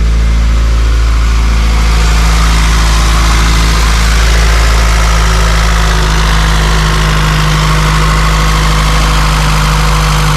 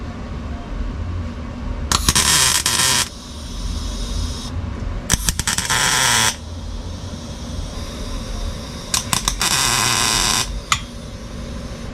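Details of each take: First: Honda CRX LSVTEC idling, heard outside, after the loud DC Sport canister was replaced by a Borla exhaust: deep, smooth, steady exhaust note, no rasp or rattle, quieter than before; normal idle. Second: Honda CRX LSVTEC revved on the driveway on a cheap aftermarket oval muffler with small tubing that is only tacked, not fully welded: a sharp, raspy roar over a low idle. The deep, loud tone is gone but the rasp remains.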